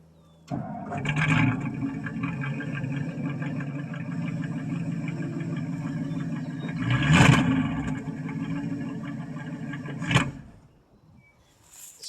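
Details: 1963 Ford Thunderbird, 390 four-barrel V8 with quiet single exhaust, cold start after about three years sitting, mice debris in the tailpipe: catches quickly, runs rough and uneven about ten seconds, stalls, retries; fuel pump suspected of working poorly.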